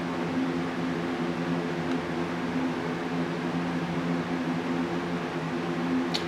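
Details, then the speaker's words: Computer booting perfectly fine after the old drive was put back in place of a new drive that failed to work; steady fan whir and faint spinning-drive hum, no clicks or grinding. "Yes, as you can see, it just boots up perfectly fine."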